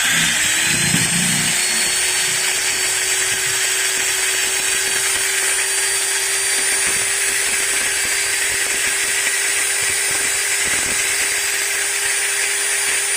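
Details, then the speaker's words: Maktec MT90 angle grinder after its bevel (pineapple) gear was replaced. A steady high whine at constant speed carries a faint gritty crackle from the head gear, normal for a new gear with no slipping, expected to smooth out with use. "Nah bisa kalian dengar sendiri kan suaranya ada ngeretak di bagian [Musik] ujungnya Nah suaranya seperti itu guys tapi jangan khawatir nanti setelah dipakai beberapa kali juga ini suaranya akan halus"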